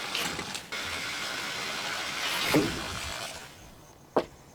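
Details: Water hisses through a pipe, then the valve shuts with only a soft thud and no banging, after a device was installed on the pipe; valve shut-off without water hammer.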